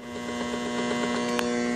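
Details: Tiger Claw 1500 W pure sine wave inverter running from batteries, AM radio tuned to 522 kHz: steady buzzing hum with rough hash and a couple of camera clicks; common-mode RF interference from the inverter.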